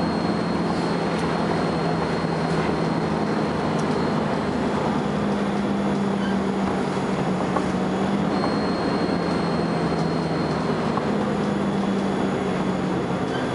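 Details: First Manchester Volvo B10BLE bus 60403 (S670SVU), recorded 30 May 2011: a thin, steady high whistle rides over the low drone throughout, barely changing with speed; strange high-pitched whine of unknown origin.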